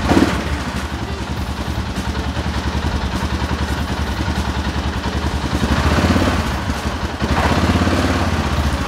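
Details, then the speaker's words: 2007 Arctic Cat 650 H1 ATV after replacing the front 4x4 actuator: even single-cylinder chugging with a slight rise in revs and no grinding or clunking. Four-wheel drive engages normally, and the new actuator fixed the problem. "it engages that's a good sign let's engage it"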